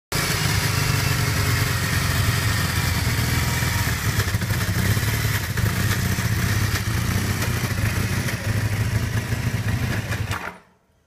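Twin idles with an uneven, loping beat and a bit of clatter on top; it's stumbling along, a rough idle of unclear cause.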